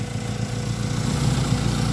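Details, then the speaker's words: Ford Lynx after fixing crank no start, an electrical fault with no power supply to the main relay feeding the ECU: smooth steady idle, no misses or knocks. "So ngayon okay na siya running na [Musika] uli so Crank no start na Ford links Okay na"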